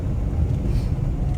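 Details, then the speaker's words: Maruti WagonR K Series on test drive after front caliper bushing replacement: only low even road rumble, no clunks or rattles from the front end; earlier front noise gone. "जो आवाज़ की मैं बात कर रहा था वो आवाज़ अभी नहीं है गाड़ी में।"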